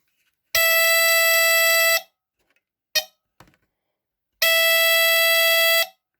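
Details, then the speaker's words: 1978 Westclox travel smoke alarm (9 V battery) on test: two loud buzzy horn blasts about 1.5 s each, like the larger model but quieter; normal alarm sound. "so it kind of sounds like the bigger one but a lot quieter as you can tell"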